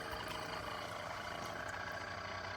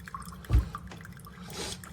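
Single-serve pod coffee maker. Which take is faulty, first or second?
first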